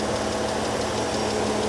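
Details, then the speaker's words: 2004 BMW 330i six-cylinder (modified, M3-style) at a Copart salvage auction, engine bay shown: smooth, steady idle with no knocks or misses; sounds like a typical healthy BMW engine. "she sounds like a normal BMW engine to me sounds like a typical BMW engine to me"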